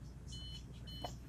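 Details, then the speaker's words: 2021 Dynaquest 37BH RV with an Equalizer leveling system: two short high beeps over a low cabin hum, warning that the ignition is still on, so auto-level won't run, though retracting still works. "it's telling me the ignition is still on so it will not auto level"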